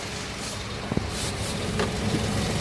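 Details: Hyundai i20 BS6 petrol turbo GDI with DCT transmission, after gearbox refitted and gear system reference failure codes cleared: steady even hum from under the car, no bearing growl or whine from the gearbox middle; normal.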